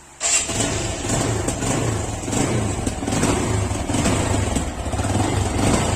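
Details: Phonex motorcycle engine after repair of a bad engine noise: starts at once and settles into an even, steady beat with no knocking or metallic rattle; sounds healthy.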